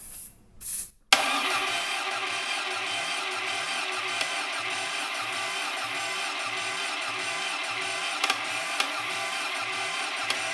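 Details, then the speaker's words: 1957 BMC Mini two-cylinder prototype engine on bench, no carburetor fitted, run on a guessed small dose of fuel: sharp catch, then even run of firing pulses a few per second; normal running on both cylinders. "i mean that's a you know that's a bit of fun for a video and it really you know firing on both cylinders"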